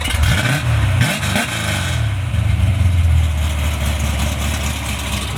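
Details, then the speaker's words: Gridlife Oldsmobile Cutlass race car with a Holley Terminator system, started after a fresh file and timing/TPS troubleshooting: a deep V8 rumble settling after throttle blips into a strong steady idle with no misfire. Sounds better; normal. "sounds a lot better that's better looks like you had it figured out"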